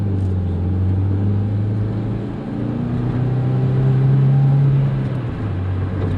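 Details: 2001 Hyundai Accent on a test drive after replacing the noisy front wheel bearing. A steady low drive hum carries through left and right turns and straight driving with no growl, whir or rumble; the bearing runs quiet.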